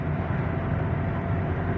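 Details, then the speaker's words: 2023 Toyota Avanza driving, after transmission repair: off the throttle only steady low road rumble and tyre noise, no howl or whine from the transaxle, unlike before when lifting off the accelerator gave a loud drone. "So okay na. Wala na yung ingay guys. Back to normal na siya. Hindi kagaya dati no na pagbitaw mo ng accelerator ay napakalakas talaga ng ugong."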